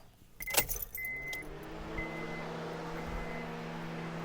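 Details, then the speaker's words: 2009 Honda Civic, key on, 147-ohm resistor across ECT sensor 2 connector (about 0.45 V): brief key jingle, then steady even whoosh as electric cooling fans switch on and run normally, confirming circuit and PCM fan control work; sensor likely faulty. "And now you can hear the fans. Our fans are on."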